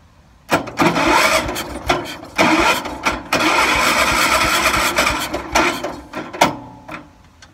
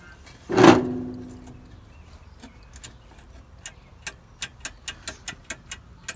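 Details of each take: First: 1978 IH Cub Cadet 1000 tractor sat 20 years, starter jumped at the solenoid: bursts of fast even starter whirring with pauses; starter is good, but the battery might be a little low. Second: 1978 IH Cub Cadet 1000 tractor sat 20 years, won't turn over with the key and makes a buzzing noise: engine silent, key on, light steady tick about five per second from the hour gauge ticking along normally, showing it gets power.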